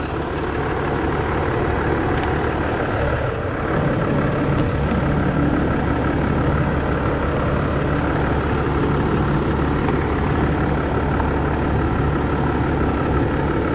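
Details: 2010 Land Rover Discovery 4 3.0 V6 diesel idling after an alternator replacement cured its charging fault, now charging at 14.5 V: deep, steady, even rumble with no whine, squeal or stumble, a normal idle.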